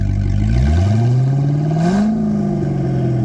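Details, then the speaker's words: Wrecked Corvette just picked up, fresh premium fuel, almost half a tank, oil pressure just above 40: loud open-exhaust rev climbs smoothly and drops back cleanly with no stumble or knock; normal free revving, the car just lacks mufflers. "Rev it up a bit. Like, give it a good little bit."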